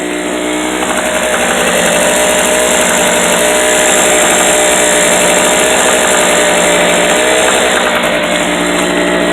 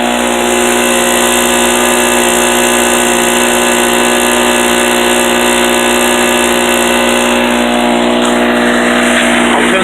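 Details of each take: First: Unloaded 800/900 W portable Harbor Freight generator running a steady high buzz with a metallic rattle that comes and goes; it is an exhaust ping, not piston slap or conrod bearing play, since that would be constant. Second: Harbor Freight 800/900 W portable generator with a little choke, loaded to its maximum by a shop vac: a steady, even drone with the rattle gone. The rattle was only exhaust ping, not a knock. Normal running under full load.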